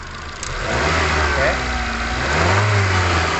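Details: KIA Carens II 2004 automatic, stalls when revved, code P0102: engine revs twice from idle with slightly uneven, lumpy note at 45 psi fuel pressure; runs rough with mass airflow sensor unplugged, sensor judged faulty.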